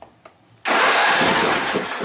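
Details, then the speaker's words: Exmark Viking mower on its first start attempt at full throttle: quiet, then a sudden steady rush of cranking with clicking and no clean firing rhythm. It cranks but won't start, possibly because fuel isn't reaching the carb yet. "believe it or not it might not be getting fuel yet"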